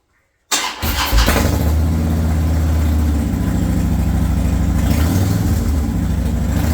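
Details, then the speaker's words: 2014 Harley-Davidson Dyna Low Rider after fuel filter and strainer replacement, battery reconnected and tank refilled: quick start then uneven V-twin idle about three beats a second, steady with no misses; normal start and idle. "I'm going to connect the battery, put the seat on, fill it with fuel, and start it up. That sounds good."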